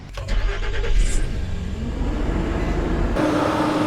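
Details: Nissan Xterra, first start after installing a 250 A high-output alternator, Big 3 wiring kit and high-capacity XS Power D34 battery, hood open: brief crank, fires and settles into an even idle with a light steady whine, charging 14.9 V; normal start.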